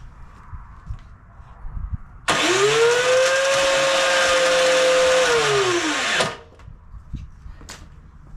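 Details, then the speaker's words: MTD Pro 21-inch 179cc snowblower that has sat, possibly with old gas, on the electric starter: starter spins up to a steady whine for about four seconds and winds down, engine never catches; crank, no start. "doesn't sound too good well let's put it up on the lift and uh see what we can find"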